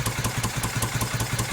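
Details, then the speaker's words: 1971 Moto Guzzi Ambassador V-twin, under full restoration with new rings and changed crank, first fire-up: lumpy, uneven idle about five beats a second, hunting slightly; motor is tight and struggles to idle, likely needs rejetting; rough idle, lean mixture. "Yeah, it's a tight motor. It is new rings, everything's tight, so we're just trying to see if we can get her to idle here."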